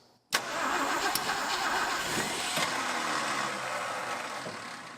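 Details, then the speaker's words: 1962 Ford Thunderbird Sports Roadster convertible, first start attempt in over 20 years: starter cranks briefly, then the drive spins free and the engine stops turning over, the Bendix kicking out too early; starter drive disengaging early. "Come on, Ford starter. Don't kick out so early. We're going to need to do some Bendix work."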